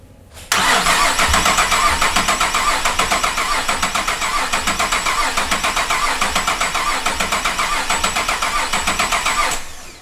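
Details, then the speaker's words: 2008 Cadillac CTS GM 3.6L GDI V6 after timing chain replacement, cranked to build oil pressure with spark plugs removed: quick, even starter whir about four beats a second with no compression strokes, because open plug holes let pressure escape. "that's weird why didn't I have all that compression sound like when I tore it apart I was going then again these are open allowing pressure to escape"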